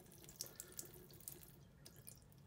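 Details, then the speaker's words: Tap after fitting an anti-hammer spring tap washer to fix pipe hammer caused by a worn spindle: steady, quiet water hiss with light splashes and no banging, even when turned slowly on or off. "it doesn't matter how slowly we turn the tap on or off there is no pipe hammer anymore"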